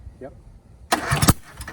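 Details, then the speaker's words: 24-year-old Generac 10000EXL generator, Briggs V-twin, first start after rewiring and sitting 8 years: cranking then one sharp exhaust bang as it catches, backfire from over-choking; owner suspects valves out of adjustment or not closing. "Whoa. What was that? Backfire. All right, let me try What it. does that mean? I had it choked, so there's a lot of gas in the exhaust."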